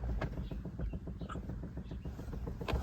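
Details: Chevy Bolt electric car: fast, steady clicking, about nine a second, from the brake booster control module; fixed under warranty by software update per Service Bulletin 20-NA-170.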